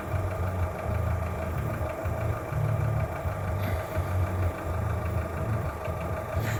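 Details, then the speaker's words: Skoda Fabia 1.4 at idle, cold: low steady idle with a faint uneven knock without clear rhythm, heard mostly from below near the timing belt, faint hydraulic lifter noise; said to be piston slap and normal, source unidentified. "Итак, интересует, что это за звук. Никто толком ничего сказать не может. Больше всего его слышно где-то снизу."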